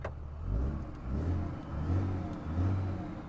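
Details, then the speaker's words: Dodge Ram Cummins diesel with 994,376 miles, idling after a warm start: low, steady, quiet rumble with gentle rise and fall and no knocks or ticks; healthy-running engine. "look how nice the interior is i'm astounded i am absolutely sound and it sounds really quiet too"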